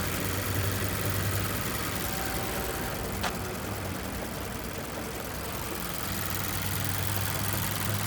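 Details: 2014 Mazda6 GJ 2.5 L 192 hp SkyActiv petrol: steady idle with a light, fairly even tapping about four per second, clearly audible after 15–20 km of city driving; engine knock of unclear cause.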